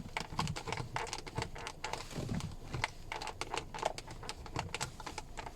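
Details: Car front door trim panel at 168,000 mileage: dry crackly plastic creaking in quick clicking bursts when the armrest is pressed; fixed by pouring silicone lubricant into the panel joints.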